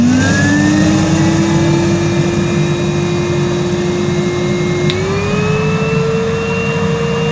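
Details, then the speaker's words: Numatic Henry 1200 W vacuum made 2006, never used, suction gauge test: smooth motor whine climbing in pitch on low, then stepping up on high; peaked ~64 on low and 102 on high, stronger than current Henrys; normal running. "well that was interesting on low power henry peaked at around 64 on my gauge and on high power 102 so it's definitely got more suction power than a henry you can buy today"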